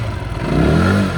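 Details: Zontes U/U1 125 single-cylinder, started with the clutch held after fuel pump prime, revved while stationary: pitch climbs smoothly and settles back evenly, no rattle or stumble; normal revving.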